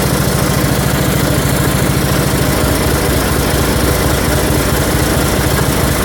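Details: 1974 Dynastar lawn tractor, a barn find that sat about 30 years, first start with a substitute short muffler fitted: single-cylinder engine thumps slightly unevenly at first, then settles into a smooth, even run.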